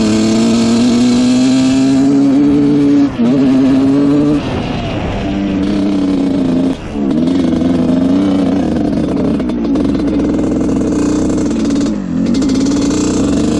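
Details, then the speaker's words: 1986 Honda CR125 two-stroke on its first ride after the exhaust pipe fix: revs climb unevenly and sag, still very boggy. Owner suspects the carburetor, since compression and spark are good. "a little boggy at all right first ride on this thing it is very boggy still so our pipe fix did not seem to work"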